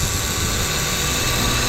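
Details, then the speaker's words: Vehicle with the complaint of hot air from the vents, engine running, hood open: a loud, steady high-pitched scream from the AC compressor over the engine rush, clearly noisier than normal; the screaming compressor is to be checked for pressure. "Wow, that compressor's screaming. You hear that thing? Yeah, that's a little loud."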